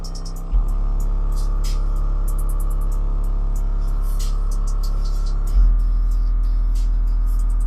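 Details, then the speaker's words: Cheapest pair of Harmony HA-RD12 12-inch subwoofers, both faulty, possibly dropped: heavy bass notes carry buzzy clicks and rattles on top, typical of voice coil rub. "Maybe I just happened to get the 2 bad subs they had in their warehouse. I don't know. But this is pretty bad."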